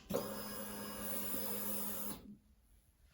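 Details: 2007 Honda Deauville NT700V being diagnosed for FI light fault (8 blinks) from throttle position sensor: key on gives a steady electric hum with faint whir about two seconds, then quiet; normal ignition-on self-check.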